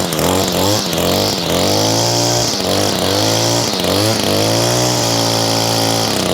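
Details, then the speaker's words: New Echo SRM225 two-stroke trimmer with speed-feed head, freshly started on a 100°F day, gives a crisp buzz climbing and dropping cleanly with each throttle blip; owner mentions a little rattle he isn't sure is audible; otherwise normal running. "This Echo though, guys, I'm pretty pleased with this, and just listen to that sound."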